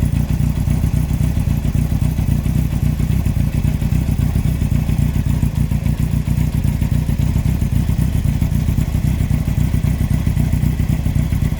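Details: 2003 Yamaha R1 (5PW), 41k miles, cylinder 4 big end bearing failure: deep, heavy clatter knocking steadily throughout over a low engine drone. Cam chain, valves and top end are fine; owner suspects harsh downshifts or false neutrals; needs new engine.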